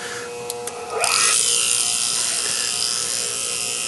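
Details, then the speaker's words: Whirlpool rotary vane compressor, previously would not start, run with its head removed: a few ticks, then the motor spins up with a rising whine into a loud hissy rush. "started up without its head on and you don't dare put your fingers or anything in there while spinning"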